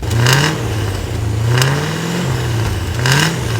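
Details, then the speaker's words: Land Rover Discovery V8 after exhaust rework with new downpipes, stainless muffler and tip, revved in driveway; three clean throttle blips from deep even idle, idle volume barely reduced, no rattle or misfire: normal V8 exhaust note. "I know what you're thinking it sounded better before so firstly yes I don't think the idle volume has come down much at all and you might also be thinking that it's lost some of its nice V8"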